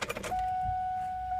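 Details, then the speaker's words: Ford Mustang at key-on after plugging the inertia switch back in: a click, then a steady mid-pitched electric hum; fuel pump priming normally. "Okay, now the real test. Turn the key and listen for that pump to come"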